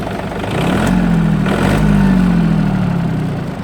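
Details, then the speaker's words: Yanmar AF226 4WD mini tractor diesel with 1472 hours, described as in excellent condition; right after an easy start it settles into a steady, even, low idle with no knocks or misses, running healthy. "запустился прилетели очень легко работает ровно"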